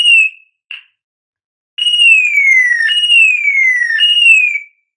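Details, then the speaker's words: Old car alarm siren module, bench test after disassembly and repair, powered black negative and red positive, signal wire grounded: loud high-pitched siren sweeping downward in repeated roughly one-second wails, clean and strong; working properly. "ეხლა ავიღოთ სამი სიგნალის კაბელი, ავიღოთ ერთ-ერთი და დავადოთ მინუსზე. აბა, ოღონდ ძალიან ხმამაღლა უნდა იყოს წესით."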